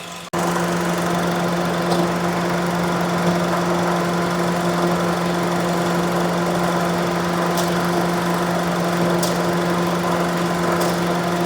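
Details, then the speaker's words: 2011 Honda CR-V at idle with AC commanded on: a few faint AC clutch relay clicks but no compressor clutch engagement and no change in engine note; the relay is hot, about 85 °C. "The relay's clicking, but I don't hear the compressor engaging."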